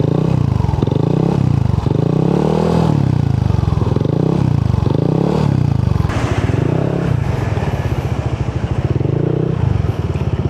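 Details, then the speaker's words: Yamaha NMAX scooter with 4S1M Street Core V3 exhaust, traction control off, after the pipe was repacked with fiber wool and rewelded: repeated throttle blips rise and fall cleanly with deep solid exhaust and no metallic rattle; normal exhaust note. "Yan ang sounds. Wala na masyadong ayun na yung kalansing na malakas. Parang medyo okay na siya."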